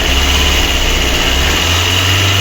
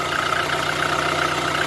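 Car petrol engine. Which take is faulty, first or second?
first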